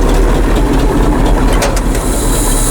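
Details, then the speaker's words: Ford F700/F7000 8.2L Detroit diesel crane truck, started after a year unused without charging the batteries, smoking a little; a deep, steady diesel clatter with even beat and no knocks; healthy idle. "came home from his place just started it up after a year didn't have to charge the batteries just started just like that smoked a little and start up which I'm not massively shocked about"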